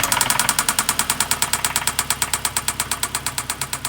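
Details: 2009 Hyundai Sonata 2.4 idling: a sharp, steady metallic hammering about seven times a second, suspected rod knock; play found in cylinder 3 on the down stroke.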